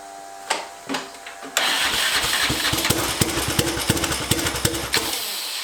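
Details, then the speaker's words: Turbocharged 660 lawn mower on first test run: cranks, catches, runs choppy and uneven, then cuts out abruptly after a few seconds; cause unknown, possibly starter still engaged, smoke and oil leaks found. "hey why did i shut down"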